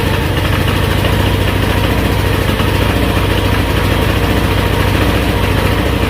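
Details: GY6 Chinese scooter engine, damaged by too much oil, on a new test spark plug: steady strained drone that only keeps running held at full throttle, dying immediately when released. Owner says badly low compression, top-end rebuild needed.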